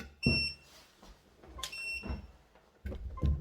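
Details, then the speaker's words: HDS setup, simple RFID tag reader just plugged into the screen by USB: two short, high electronic beeps amid handling bumps; normal startup beeps showing the reader works. "Yeah, you hit bleep a few times, you know it's working."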